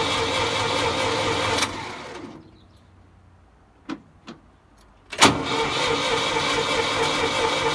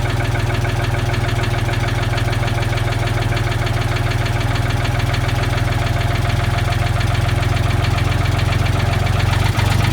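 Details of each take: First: Old Ford forklift with updraft carburetor just repaired for leaking: engine cuts out, then cranks at an even quick churn, about three turns a second, never firing, because the fuel was left turned off. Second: Old Ford forklift engine with updraft carburetor after patching its leaks with acid, pop rivets and epoxy: steady, even low idle, smooth unbroken rumble, no misses; idling normally and no longer leaking.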